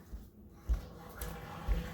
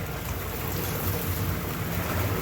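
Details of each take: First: this is what happens when you don't ventilate your plumbing system your your drain it uh there you go you can hear it it's probably sucking uh well I can hear it sucking water out of the PE trap Second: Newly installed American Standard whirlpool tub model 2425 L/V RHO running with the heater on, no leaks and air added to the jets: steady low pump rumble with rushing, bubbling water and air. Normal whirlpool jet operation.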